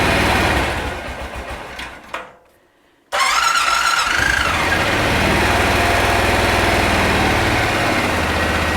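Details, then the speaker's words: 2001 Honda Rincon ATV, sat over two years, cold start on choke after carb clean and rebuild, fuel on reserve: catches after brief crank and settles into smooth, even idle with no misfire or mechanical noise; normal idle. "go go ahead and open up garage door back there let it idle here for a minute let it warm up sounds really really good"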